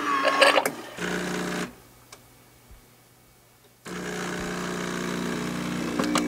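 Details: Espressione Supremma super-automatic coffee center brewing a single shot after the grinder runs: even buzzing hum starts, pauses, then resumes at a steady pitch without rattles or strain; brew pump pushing water normally.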